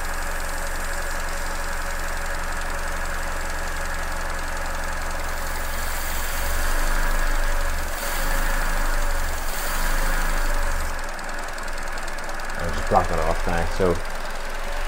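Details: Petrol engine returned to normal idle after an induced vacuum leak that had caused hissing, stumbling and lean fuel trims: steady low hum with an even settled rhythm as trims come back down.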